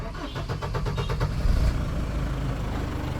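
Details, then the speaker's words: Tata Safari 2.2 VTT 2011 diesel after starter repair, loose bendix freed and new starter brushes fitted: starter spins briskly about a second, engine catches cleanly, steady even idle; normal start. "എന്തായിരുന്നു പ്രശ്നം എന്തായിരുന്നു പ്രശ്നം ചെറിയ എന്തന്നാ ലൂസായി പോയതാ ബെൻഡിങ്സ്"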